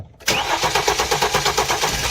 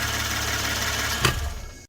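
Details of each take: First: 2016 Hyundai Genesis, flood-damaged accident car with swapped engine computer, cam/crank timing signal appearing off: even, rapid starter cranking about five beats a second that never fires; crank no start, cause suspected mechanical, not confirmed. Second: 2016 Hyundai Genesis Coupe 3.8 L, auction car with accident and flood damage and an ignition coil signal fault; this may be the identical known-good car used for reference waveforms. Steady, even idle with a smooth firing beat and no knocks or misses.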